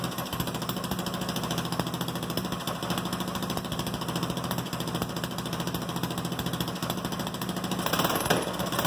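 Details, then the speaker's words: Go-kart (Goofy Cart 2) small engine after rebuild, on an open unfinished exhaust with no head gasket yet, gravity-fed from the gas tank without a fuel pump: rapid, steady popping beat with no knocks or misses; normal running. "but that's running from the gas tank with no fuel pump and some people were wondering what was going to happen"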